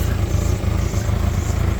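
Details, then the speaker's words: 1994 Ford Ranger 2.3L four-cylinder, after a new starter and a replaced hose, idles low with an uneven, lumpy pulse and slight stumbles; much better than before but still rough underneath, owner suspects an exhaust leak. "but it's completely night and day difference from how it was so I don't know under here I think I don't know it sounds rough under here but then when you come up here it sounds good so I'm not sure sure what that's about could just be the exhaust League"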